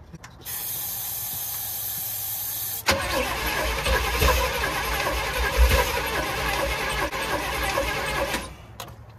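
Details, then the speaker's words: Chevy K5 Blazer reportedly with a built 454 big block, once water-flooded and unrun for years, first catching after fuel and carb work. Rough running with light rapid clacking from under the hood; crew suspect a loose rocker and check oil pressure. "starting to hear some clickity clacking in that motor you hear that clacking under [Applause] there back here what you being clacking like something like maybe a rocker's loose under there"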